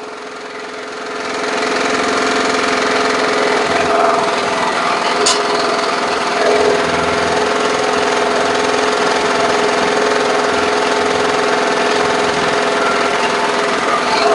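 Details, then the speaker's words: Briggs & Stratton lawn mower engine, over-revving, after dumping suspected watery fuel and easing governor spring tension, oil level a bit high: steady fast run with dry metallic buzz and banging; loose muffler rattling, possibly residual water in carburetor. "sounds like something's banging a little bit and it's kind of lining might still be a little bit of uh water in that carburetor that it's working out okay this is interesting I think it's just getting rid of that water what I didn't get out it's got a loose Muffler"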